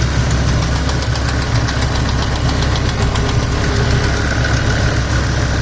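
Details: 2007 BMW M6 manual, S85 V10, warm idle: fast, light, even ticking about three per second, began after sitting months on old expired oil, persists after oil change, barely audible cold, obvious warm; source unclear.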